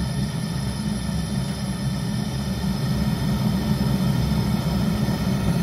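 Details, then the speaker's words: Zhukovsky gas heating boiler made in 1997, gas valve fully open: steady deep roar with an uneven fluttering rumble, flame tongues bursting out of the burner. Owner checks the noises of unstable combustion. "Ну вот практически на всю сейчас так кран открыт на всё то есть видно что даже язычки вырываются пламя"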